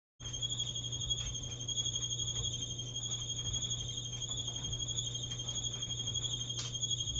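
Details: Maytag dryer about 10 years old, steady high-pitched squeal at one pitch over the drum's low hum while running; cause not yet found, technician awaited.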